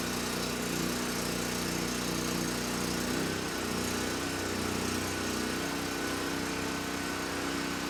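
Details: Titan TG8000Z 8000 W generator after carb mixture screw set to two and a half turns out, under load at about 61–62 Hz, 125–128 V: steady, even drone with no hunting or surging; engine good, starts right up.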